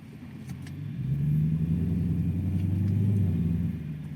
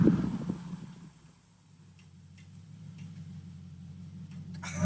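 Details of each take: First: Infiniti Q45 at slow walking-pace driving after fixing clunky clicking axles: smooth low engine rumble, shifts well, axles now silent; one clunk when first put in drive; before the fix it clunked coming to a stop or into reverse. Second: Infiniti Q45 after a loud clunk when stopping or reversing was fixed: faint sharp clicks over low hum while rolling to a stop, from dry CV axle splines at the 32 mm hex axle nut.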